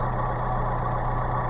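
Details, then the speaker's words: 2017 Suzuki APV after an oil change: steady, even low idle hum with no valve rattle or ticking. Engine sounds healthy, normal warm idle. "sounds healthy I don't hear any valves rattling I don't hear anything"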